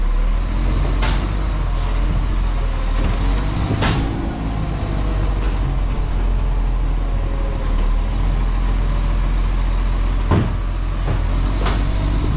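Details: West Torrens garbage truck #1601 with an exhaust leak: a heavy diesel rumbles low and loud with a rough, chuffing edge, and sharp air-brake hisses come in between.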